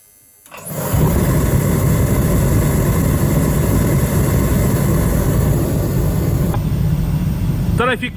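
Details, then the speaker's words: Diesel space heater in a garage, just fixed and reassembled with a full diesel tank: it catches after a short crank and rises to a steady, even low roar without surging while cycling out dust. Running normally after repair. "I'm just going to let it run for a little bit, let it cycle and let it sort of blow any dust and crap out. And yeah, it'll get super hot in here."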